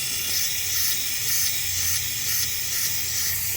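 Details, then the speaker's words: Loud, steady high-pitched hiss from a broken half-inch spa air line feeding the venturi air induction, heard during pool leak detection. "what's happening is that it's broken at that that that just that's just half inch pipe right there"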